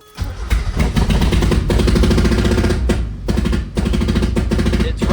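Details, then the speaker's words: NA Miata with BP4W engine swap, first start on fresh fuel with the throttle cable being adjusted: deep, lumpy idle with uneven stumbles and dips in loudness, never settling; it runs rough but holds compression. "Okay, it's running really rough. But it means it has compression because it's holding, it's like trying to run idle."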